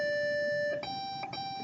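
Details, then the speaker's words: PC powered on with no RAM installed gives a long beep, then repeating shorter, higher beeps: the POST beep code for missing memory; 4 GB PC3 RAM is then installed. "and that beep code is referred to as no ram this computer has no ram installed so we're going to install some"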